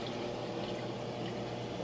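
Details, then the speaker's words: Aquaponics siphon drain fitted with a muffler tube: water rises at the top and drains down a long tube below the surface, drawing air bubbles out the bottom (venturi effect aerating the fish tank); soft, steady, quiet gurgle with faint hum, no slurping or surging. "A little bit of water comes up the top and then it just drains down the long tube under the surface and what do you know? There's a whole bunch of bubbles coming out of the bottom."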